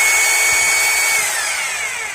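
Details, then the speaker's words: Maktec MT870 rotary hammer drill that won't hammer-drill concrete, powered up in plain drill mode: steady high motor whine with no hammering thumps, smooth rotation easing off at the end. Normal plain-drill sound. "It should be in drill mode bi hope it sounds smooth and for a concrete drill the sound is rougher"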